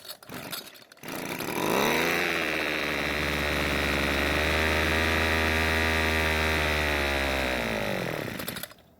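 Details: Old Homelite string trimmer, 25cc two-stroke, air filter removed and primed with fuel rather than filling the tank: catches, runs high and fairly steady about seven seconds, then fades out; fuel not feeding past a clogged carburettor inlet screen.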